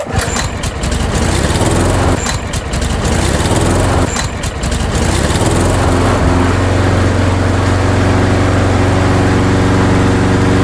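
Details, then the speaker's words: Craftsman lawnmower with a Briggs & Stratton engine, after the repair, primed and pull-started: a couple of cord tugs, then the engine fires and holds a steady, even drone with no surging, running properly. "Beautiful. It is working perfect."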